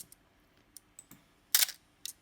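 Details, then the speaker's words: Canon A-1 35mm film camera, a few days after lubricating the shutter squeak and resting upside down, no further lubricant: crisp clean shutter snap among light handling clicks, no squeak or drag; normal shutter release. "the sound is got much better so i think the advice is uh once you lubricate uh what i've done is let the camera sit upside down"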